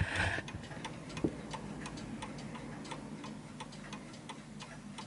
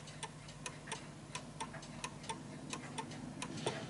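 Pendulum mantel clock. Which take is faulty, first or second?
second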